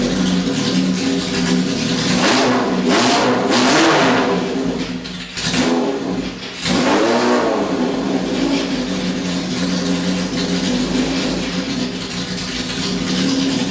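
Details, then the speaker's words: Restored Honda CB750 K0 Sandcast four-cylinder at 5,000 feet, open exhaust and carbs, mains raised from 112 to 130, needles raised, small air filters, carbs vacuum-synced, points ignition statically timed; revs crisply and settles to steady idle, no misfire or popping; normal revving. "Sounds good. Happy. So there's the first run through on the jetting and the sync."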